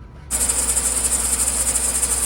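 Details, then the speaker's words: 2013 Chevy Suburban, engine running: steady piercing high squeal from the accessory belt drive, dry bearing-type noise; owner suspects the idler pulley bearing, before replacing idler, tensioner pulley and serpentine belt. "You can hear the bearing noise. I think it's coming from the idler pulley."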